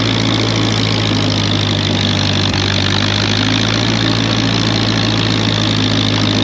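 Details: Ditch Witch R40 with Wisconsin V4 after the Hot Spark points-to-electronic ignition conversion, started to try plowing snow (clutch sticks): a steady, even idle with a smooth low drone, no misfires or surging. Healthy running.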